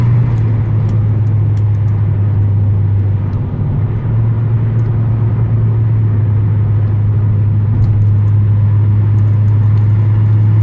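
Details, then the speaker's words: Car with swapped-in 19T turbo (replacing 15G), untuned so held to 30% throttle, about 10 PSI boost, highway pull; turbo comes on and breathes audibly, deep steady drone with no knocks or flutter; normal turbo engine under load. "Turbo comes on, you can really hear it breathing now."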